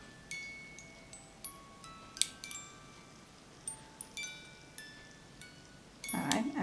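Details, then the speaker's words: Overwound music box with badly corroded, rusted gears and fly, just oiled: scattered plinking notes that falter, pause and resume as the mechanism stops and starts; to be let unwound and oiled more. "stops and it starts so we're gonna let it unwind and then add a little bit more oil to it"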